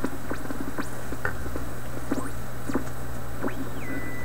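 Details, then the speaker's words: Canadian PYE 39 antique tube radio with 6V6 output and high plate voltage, being checked for resistor values and a motorboating problem: hum under static, then whistling tones sweeping up and down while tuning and a steady high whistle, an oscillation that sounds like regeneration. "that's an odd sound right there that sounds like regeneration"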